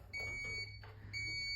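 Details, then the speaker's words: eSpring water purifier with its cover taken off during filter replacement: two long, high electronic beeps about a second apart. It is warning that the cover is open. "Take out this cover, okay? Put this aside. It's gonna complain, no problem."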